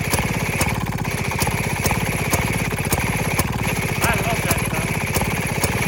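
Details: 1928 Maytag gasoline washing-machine engine, nearly 100 years old, on a cart, just started: rapid even popping about two beats a second over a steady exhaust chug, running cleanly; healthy old single-cylinder engine.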